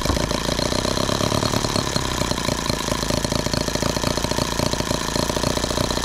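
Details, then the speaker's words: Microcosm H76 twin-cylinder engine after valve lapping and new piston rings, slightly warm: fast, busy popping at steady speed with one cylinder dropping out, running on a single cylinder; plug to be pulled to find the dead cylinder. "you're missing again and we're back down to one cylinder wonderful"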